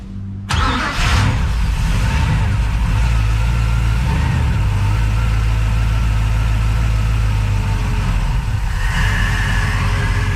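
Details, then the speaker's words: Crusader boat engine starting after the injectors were rebuilt and tested and the rails cleaned; catches after a brief crank and settles at once into a smooth, even low idle with no misses or knocks. "oh look at that she is running smooth"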